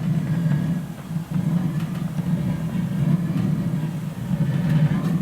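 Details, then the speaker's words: Original 1977 Hydro Flame HF-16 furnace from a truck camper, first lit with the thermostat at 60 and the pilot lit: a low blower and burner rumble that sags and surges, so it runs unevenly. Cause unconfirmed; the blower motor was then removed for cleaning. "not running right [Music] doesn't sound too consistent"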